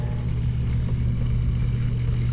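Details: Garbage disposal on a large single-bowl sink running after a bad copper waste arm was replaced with a new one. Steady low motor hum, even smooth drone, no grinding or rattle; disposal runs normally and drains without leaks.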